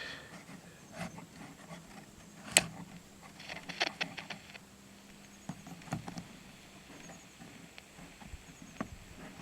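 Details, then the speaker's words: Soviet Sokol 403 AM transistor radio: quiet hiss with random crunchy pops and crackles, plus weak volume; a bad transistor or capacitor is suspected but not confirmed. "Uh, but you'll hear the little crunchy static thing. It could be a bad transistor."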